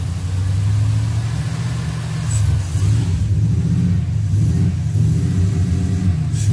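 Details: LS V8 from a donor, run on an engine stand outside the C10 truck with Holley Terminator X management, after ultrasonic injector cleaning and fixing two loose spark plug wires: deep, even burble with steady low pulses, no stumble; firing on all eight cylinders at idle.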